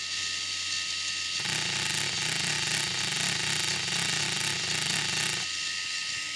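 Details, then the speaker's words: RC crawler "CV" joint turned at an angle: steady whirring with a quick wavering pulse, fast-slow four times per revolution at the output, worse with more angle; the joint is not constant-velocity. "hopefully you can hear that wah wah wah wah wah wah that's the non-uniform rotation fast low fast low four times per Revolution at the output"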